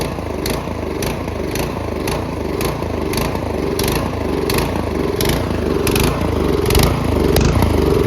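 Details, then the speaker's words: Troy-Bilt Storm 2410 snowblower with MTD Powermore engine and dirty carburetor, moved from choke to half, then full run: uneven pulsing, hunting rhythm at full throttle; surging from too little fuel and too much air, lean. "now we'll put it to run half okay that runs fine starts to Surge a little because there's not enough gas too much air now you take it to full run"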